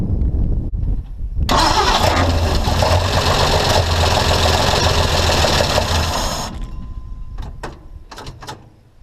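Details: Long-parked old International truck with a new fuel pump, priming gas poured into the carburetor: cranks, catches and runs roughly for about five seconds, then fades and dies; it only burns the prime, so the pump is not delivering fuel.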